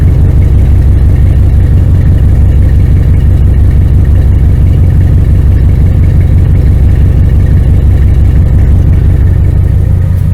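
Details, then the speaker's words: 1999 Dodge Ram 1500 5.9L gas V8 with headers, after new starter, belt tensioner and idler pulley: deep steady idle, even low rumble, no knocks, ticks or squeals; motor sounds good, normal idle. "Motor sounds good. She's a little old, but get it in order so it'll serve you."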